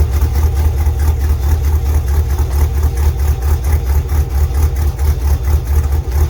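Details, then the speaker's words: LS2-powered third-gen Camaro pro-touring car after an oil change that revealed a knock: deep even V8 idle, steady lope, no knock heard; normal idle, knocking gone. "that knocking is gone"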